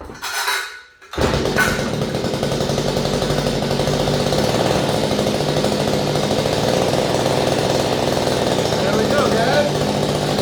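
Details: Small two-stroke engine on a no-start repair, running with cleaned spark plug and air filter off: after a short pull it catches and settles into a steady, even buzzing run with no misses; healthy.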